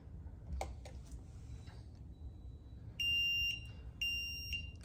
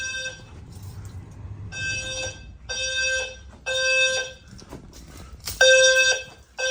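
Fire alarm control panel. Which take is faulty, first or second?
first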